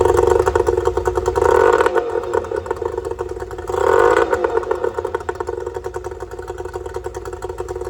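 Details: Yamaha two-stroke outboard after fixing oil leaking out of the bottom of the carburetor: no more oil coming out; crisp buzz with two quick throttle blips rising cleanly and settling to even idle; normal running.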